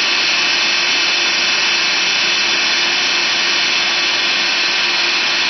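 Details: Motor for rotoverter experiments, run unloaded on 3-phase in star mode on a homemade mount and drawing about 185W: a loud, steady whooshing roar with a faint constant hum and no knocks. It runs noisy, cause unclear.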